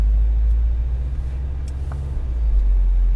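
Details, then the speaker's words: Subaru Forester XT driving after new front and rear end links: steady low road rumble over ice blocks and tight turns, with no popping or clunks; the suspension sounds tight. "it hit a big ice block it felt it there's no no popping when I hit stuff no popping when I turn"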